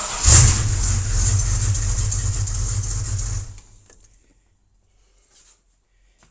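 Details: 1936 Buick hotrod starting from the key for the first time in decades, via relay-fired starter solenoid feeding the coil: a short crank catches and the engine runs steadily about three seconds before shutoff; normal cranking and start.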